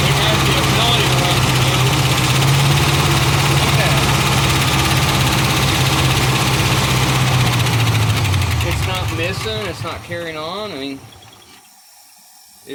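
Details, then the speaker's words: 1975 Ford F500 rollback truck after 17 years in a field, first run, exhaust blown out: rough but steady idle with a quick light rattle on top about three a second, no misses; cause unknown. "yeah well it's gotta be getting fuel got some rattling on the top"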